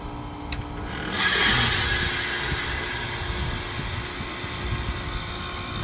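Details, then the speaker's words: Heat pump outdoor unit with the fan pulled and defrost pins jumped, forcing a defrost test: a quiet hum, then a sudden loud hissing rush as it shifts into defrost. The tech suspected the reported screeching was this defrost; it is a normal defrost cycle. "This is what I wanted you guys to hear, because I can almost guarantee you the screeching is this defrost cycle."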